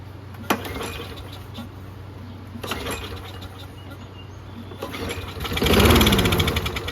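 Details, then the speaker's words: Free Toro Recycler mower, primer bulb not working with gas in it; pull-cord whir spins engine freely but never fires. Carburetor suspected of fuel starvation; bowl nut heavily corroded. "That's trash. Primer doesn't seem to be working with gas in it. Let's see if it turns over."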